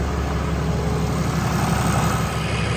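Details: 2020 Ram 2500 Cummins diesel idling after the oil and fuel filter change, running to check for leaks. An even, steady clatter and rumble at constant speed with no ticking, knocking or stumbling; a healthy idle.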